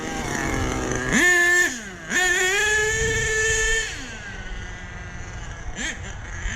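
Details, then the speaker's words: HPI Savage nitro monster truck on 30% fuel, high and low end needles each richened half a turn, idle raised: revs up cleanly to a steady high scream without stutter or bog, back to smooth idle; well tuned. "I'm pulling this trigger real slow. There's no stuttering. The RPMs keep building up. It doesn't peak out and then fall down."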